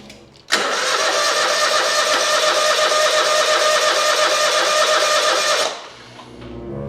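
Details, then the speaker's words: Hustler zero-turn mower: about five seconds of even starter cranking that never catches. Crank-no-start attributed to a broken choke, as the customer had said. "uh-oh it's not [Applause] starting I had to do this when I brought it in getting full chage oh that's right the choke is broke I forgot the guy told me that"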